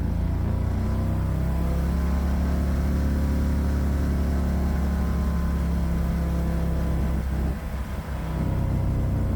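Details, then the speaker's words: 1969 Renault R10 with a 670cc Predator twin, new dual 24mm OKO carburetors and CVT, driving: smooth, even low twin-cylinder drone pulling steadily under load with no knocks or misses; running healthy. "I'll shut up and let you guys listen to The Glorious two-cylinder engine sing"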